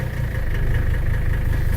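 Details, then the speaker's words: 1984 Mercedes-Benz 300TD diesel with a straight pipe, about 1,500 miles in two months of ownership, dropped from about 850-900 rpm to about 650 rpm low idle by pulling back the pedal, oil pressure about 1.5: low, steady, even clatter with no stumbles, idling normally. "it'll drop it down to about a 650 idle, which, I don't know if that's the way it's supposed to go or not."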